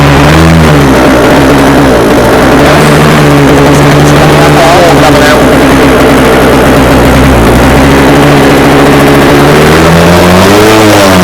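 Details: Scratch-built early-1970s radio-controlled boat, two-stroke engine revived after twenty years unused, water-fed cooling rigged and working: steady buzzy note wavering slightly with throttle, no misses or knocking; runs healthy and seems to cool itself.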